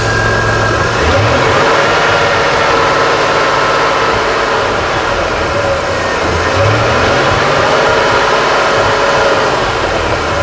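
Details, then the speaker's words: Chrysler/Dodge/Mitsubishi 2.5L with P0171 lean code, said not to be a fuel problem: rough idle with an occasional audible stumble matching crankshaft position sensor signal dropouts on the scope; misfire from a faulty crank sensor, not wiring. "yeah we're still missing oh it's better this is absolutely not gonna be a wiring problem this is what it shouldn't look like there was a drop you can hear the miss watch the screen yeah"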